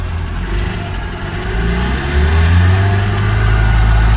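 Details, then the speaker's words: Subaru 360 van two-stroke engine with oil injection, first drive after mechanical restoration, pulling away in first gear on a 65°F day: even buzz with revs climbing smoothly, no knocks or rattles; normal running. "sounds good."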